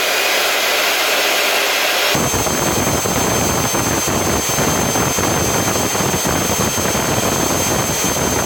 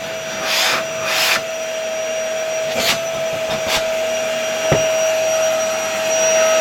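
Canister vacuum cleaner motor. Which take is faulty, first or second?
first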